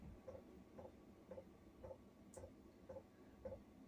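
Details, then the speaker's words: Chinese diesel heater fuel pump mounted on a campervan bathroom wall (Talbot Express Highlander), before fix: soft regular ticks just under two per second, each a dull thud transmitted through the wall. "Like I say, I'm hoping you can hear that. But it ends up more of a thud. That's because it's in bathroom or bathroom wall."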